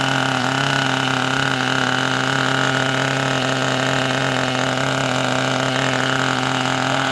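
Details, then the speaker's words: Kyosho nitro RC car with GX12 engine, first start after revival with a new glow starter: high, steady buzz with a slightly soft, burbly edge; owner thinks it is running a little rich. "That sounded great. Did you hear that? I think it's a little bit rich."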